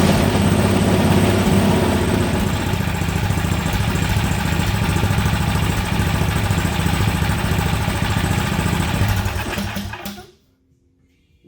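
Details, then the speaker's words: Toro snowblower small single-cylinder engine after carburetor cleaning; steady putter fades and dies as the throttle is moved all the way over to the stop position, which is the normal shutoff, as it is supposed to do. "when i ran it all the way to the over here and it died that's because it's stop so that's what it's supposed to do"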